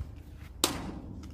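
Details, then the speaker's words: Centurion D10 sliding gate motor: with the release lever raised and the gate pushed by hand, a single sharp click is heard in a quiet yard. This is the drive gear meshing as the gearbox engages the gate, before limit programming. "then you hear that clicking sound, which shows that the machine has engaged to the gate."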